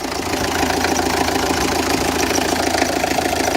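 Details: Renault Express diesel after head gasket and timing replacement, test run: steady even idle clatter around three and a half beats a second, no abnormal knocks or misses; small leak noted, runs clean.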